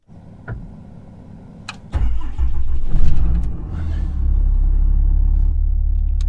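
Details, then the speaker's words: Jeep TJ cold start: starter catches after two seconds, a quick rev, then a steady, even, raised cold high idle with no knocks or misses; fan louder than stock after manual clutch-fan conversion. Healthy start. "High idle. There we go. Oh yeah. Listen to that baby purr."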